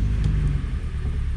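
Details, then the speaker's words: 2014 Hyundai Elantra at idle after swapping ignition coils between cylinders 1 and 4: low rumble with uneven, lumpy stumbling pulse; misfire moved from cylinder 4 to 1, confirming a bad ignition coil. "we're getting them on cylinder number one and not cylinder number four so this is very clearly telling me that we have a bad ignition coil"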